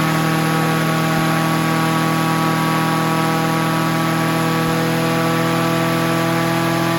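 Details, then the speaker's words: Honda HR17 push mower, flathead engine, guessed early-to-mid 1980s, first start: loud, steady high-pitched drone racing flat out, never dropping back; governor stuck, possibly linkage off, kill switch not working. "while well it started and she went wide open heavy red I see why that's doing that and the kill switch don't work but it did start that's a plus let's see see just set you guys here for a minute so the Govern is stuck"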